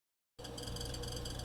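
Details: Refrigerator chirping squeal: quiet steady hum with a fast, high-pitched fluttering chirp repeating several times a second; owner suspects the condenser fan motor, noise returned after cleaning the fan; cause unconfirmed.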